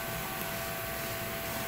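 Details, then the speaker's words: PT Cruiser overheating with AC on: cooling fan commanded on via actuation test runs steadily at low speed only and barely moves air, never switching to high speed; cooling fan internally shorting out, replacement recommended. "it's not switching off and all but I can hear a cycling and actually I hear cycling at the same speed it's low speed for your words"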